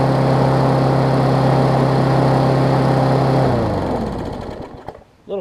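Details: Craftsman push mower with a Briggs Classic engine, after a carb diaphragm and spark plug replacement: a steady, fairly high buzz with even firing, winding down smoothly at shutoff; runs fine, idle a touch fast.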